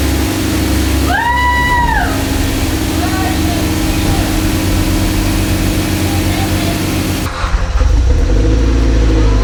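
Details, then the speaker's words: Evo X engine, sitting on a shelf over 10 years, just swapped into the car and started for the first time: settles into a steady, even idle with a smooth low hum and no knocks; runs healthy. "indeed after more than 10 years of this mortar just sitting on a shelf we were able to bring it back to life and not just the motor but maybe even this evil 10."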